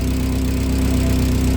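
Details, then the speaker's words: 1990 VW Golf Mk2 engine: a low, lumpy, pulsing idle with a droning exhaust. The owner suspects a faulty port, since plugging it changes the idle greatly; cause not confirmed. "pretty sure that's bad because it you don't plug it it makes a hell of a difference with the idle"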